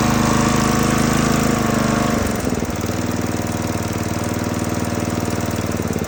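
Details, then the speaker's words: Neglected Husqvarna zero-turn mower with a 20 hp Briggs & Stratton engine, milky oil and a replaced PTO switch. It runs, drops speed, then chugs unevenly and surges with a light tick; loose valve lash is suspected and an adjustment is planned. "it does sound a little Ticky so we're going to have to go through this process here of taking this bracket off so we can get to the valves and and adjust those"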